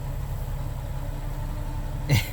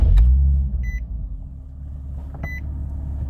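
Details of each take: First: Nissan 370Z Nismo, long crank and low power, no check engine light, fuel pump cycling only about one second with no gauge pressure: low lumpy idle that dips and stumbles; suspected weak pump fuel starvation. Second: Nissan 370Z Nismo hot restart right after driving: fires straight away and settles into a smooth, even low idle with dash chime; starts fine hot, complaint is long crank and low power on cold start.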